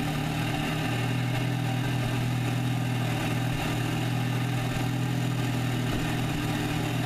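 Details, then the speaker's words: VW MKVI GTI cold start, before fitting a catch can kit in place of the PCV valve: a steady low drone that wavers and stumbles now and then; an uneven, surging idle with misfires, cause not confirmed. "so here's a clip of how it sounds same thing as before same cold start video that I had before where you get misfires in air surge"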